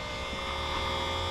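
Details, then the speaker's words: 3-point tractor sprayer sitting 30+ years, rebuilt, first run with water: steady electric hum with whirring whine and no change in note as the pump spins dry before picking up prime. "Hasn't picked up a prime yet."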